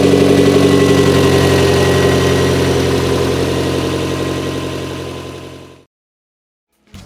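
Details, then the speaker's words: Toyota MR2 with newly installed 3S-GTE turbo engine (CT26 turbo), days later once completed: even steady idle with no rattle, then switched off and winds down smoothly; running good, 22 inHg vacuum. "we're gonna start this up again and I'll let you hear it without that rattling you guys probably bought that sounded like crap in the last few clips"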